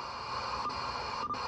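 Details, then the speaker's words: Uniden Bearcat 680 40-channel AM CB radio after cleaning, on receive with noise blanker on: steady hiss with crackling buzz and no signal, about 5 S-units of power line noise, nearly 100° midday in Salt Lake. "this is what I have uh today uh um is about 5S units of noise power line noise it's about 100° here almost 100° in Salt Lake and middle of the day we've got a lot of power line noise"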